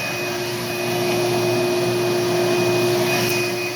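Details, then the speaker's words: 14-year-old five-horsepower shop vac in a shop dust collection setup: steady vacuum roar with a thin high squeal from worn motor bearings, screaming for five to eight years and louder when cold out. "you can hear the bearing screaming in it but it's been doing that for five six eight years especially when it's cold out it makes a lot more racket"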